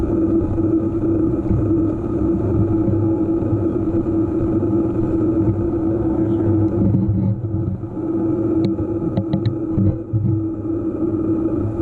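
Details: EVO GP PRO: steady low hum with constant mid-pitched tone throughout the run; humming clear but source unknown.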